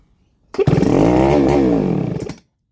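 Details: Baumr-AG SX92 chainsaw, cold, after opening fuel and forcing carburetor to draw fuel; cranking, catches under two seconds, revs unevenly, sags and dies; likely fuel starvation.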